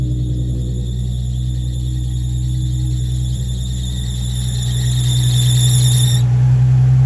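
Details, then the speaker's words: Nissan 350Z on cold start: shrill steady squeal over idle, growing louder, from a worn serpentine belt missing a tooth; it also squeaked on highway and in gears 1–3; fixed with new belts and crank pulley. "it would also squeak whenever driving on the highway whenever you got off you know first gear second gear sometimes even third this band is just done for"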